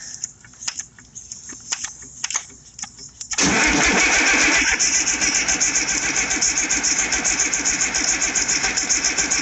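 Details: IH 5288 tractor diesel, first start after work: quiet clicks, then steady cranking about four strokes a second that never catches. There is no fuel at the injectors yet because the empty lines still hold air.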